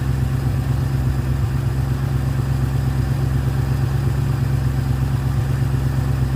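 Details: Ford Fairlane with newly installed Holley 500 CFM carburetor and manual choke, cold and warming up, throttle linkage readjusted: steady even fast idle about 1300 rpm, smooth low beat, no misses or knocks; normal.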